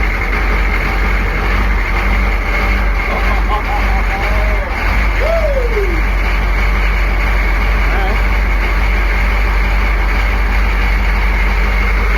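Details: Military Humvee diesel abandoned for 13 years, first start after the glow light goes out: a deep, low rumble holds a steady idle without stumbling or knocking. The engine runs fine.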